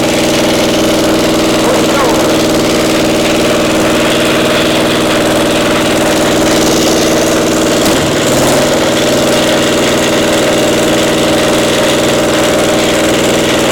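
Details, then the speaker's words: Caterpillar Diesel 70 two-cylinder pony motor at idle: uneven beat with dropped pulses, one cylinder weaker and hitting intermittently; single-cylinder misfire from faulty magneto cap, spark plug first suspected. "It wasn't as strong on that one Right. cylinder as the other one. It's hitting intermittently like it's a spark."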